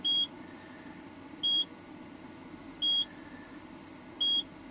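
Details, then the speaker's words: Williams System 9 CPU board from Space Shuttle pinball, not booting; loop test giving different data bus results each run, four short high beeps about every 1.4 s over hum; PIA or RAM suspected, not confirmed. "so anyway we're going to stick it on a loop test so we hit test and what you seeing is we're getting different results on the data bus every time it runs a"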